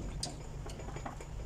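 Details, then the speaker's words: Sewing machine treadle bearing ring with its balls fallen out, so the ring runs loose: light, uneven ticks about three a second as the treadle turns while sewing. "so once the balls are out it would lose in this part and when you are sewing you will notice it will be making noise"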